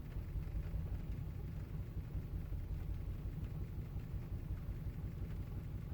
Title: Volvo rough idle